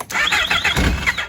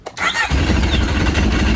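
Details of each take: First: Yamaha RX1 1000cc four-stroke sitting 6 years, after ultrasonic carb cleaning, battery freshly charged: quick bursts of cranking with sputtering and no steady firing; carbs still dry, it fires once fuel is added. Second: 1000cc Yamaha RX1 four-stroke snowmobile sat 6 years, after ultrasonic carb cleaning and battery charge: short crank, fires instantly and holds a strong, even idle with no misses or knocks; healthy start.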